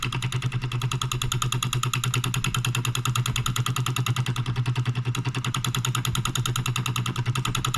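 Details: Late-1940s–early-1950s Wilkemp Jr Model E electric solenoid engine, new old stock, possibly first run in 70+ years, transformer stepping 120 V line voltage down: quick, even clacking at about three beats a second, running smoothly.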